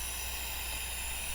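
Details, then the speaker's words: Mercury Optimax outboard with stalling, surging, power loss: steady high hiss of pressurized air leaking from the fuel pressure regulator vent holes over a low hum; air pressure down, can cause rough unstable idle, stalling and low high-pressure reading. "It is leaking. Right. These are vent holes right here. That's where air pressure is going."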